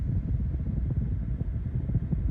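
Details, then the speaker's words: 2014 GMC Yukon 5.3 LS V8 with code P0307: deep idle with an uneven, lumpy pulse from a cylinder 7 misfire, felt in cabin and seen on the tachometer; persists after tightening intake bolts, number 7 plug crispy, insulator apparently cracked. "and I can still feel it in the truck. And you can see it on the tachometer. I knew it couldn't be that easy."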